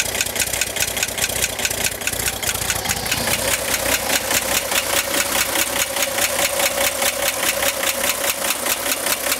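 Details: 1965 Corvair engine at idle: fast, even metallic ticking over a steady idle from the top of the engine near the fan; appeared 2–3 weeks ago and worsening; tightening fan belt helped only a little; cause unclear.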